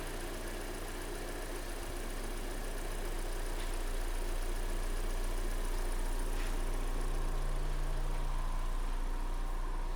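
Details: Kia Sportage 3, G4NA petrol engine, after repair: restarted after the oil change, level set, antifreeze added. Smooth, steady, even idle with no ticking or knocking; normal idle.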